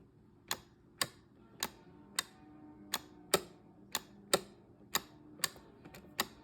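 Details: LG Studio refrigerator ice/water dispenser after a new micro switch was fitted: crisp, even clicks about twice a second in a quiet room. The switch is clicking normally and working properly.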